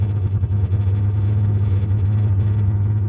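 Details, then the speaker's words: Dual-fuel diesel heater running about half an hour, switched to one quarter diesel, three quarters waste oil, temperature dropping: deep steady rumble continues after shutdown, suspected unburnt fuel from waste oil not burning fully; cause unconfirmed. "the fact that it's still burning indicates that there's unburnt fuel in there which probably means that waste oil wasn't burning still burning"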